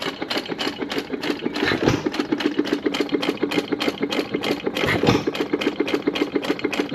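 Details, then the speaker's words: Sattley hit-and-miss gas engine after Wico EK magneto repair and spark plug wire contact cleaning; even rapid valve clicking with a solid firing chuff every few seconds between coasting beats, running properly. "but now it's sitting there running nice I'm going to let it sit here and run for probably half hour or so before I go home"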